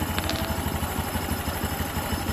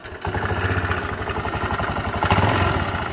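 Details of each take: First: Honda Beat (LED) scooter with a rough knocking noise, tested with the CVT roller housing removed: even, quick putter at idle with no rattle or knock; engine internals healthy, fault is the sticking roller housing, not the engine. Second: Honda Beat LED scooter, rough idle with quick regular knocking tracking engine speed from the CVT; worn, loose variator roller housing with sticking roller plate, checked by running without the roller housing.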